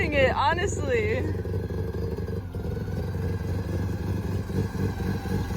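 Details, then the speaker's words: Mazda RX7 FC drift build after fender rolling: low rhythmic chatter about four times a second from the rear differential as car crawls at full steering lock, with no tyre rub. "Hear that? That's my diff. Full lock, no rub."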